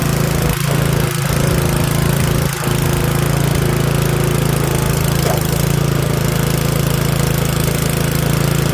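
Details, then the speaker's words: Curb-found Yard Machines 21-inch 179cc OHV snowblower, off choke at full throttle: steady single-cylinder drone holding speed evenly; runs only briefly, possibly old fuel (suspected, unconfirmed). Worn paddles, some rust. "That's actually a full run. Runs just a little bit, but might be old fuel."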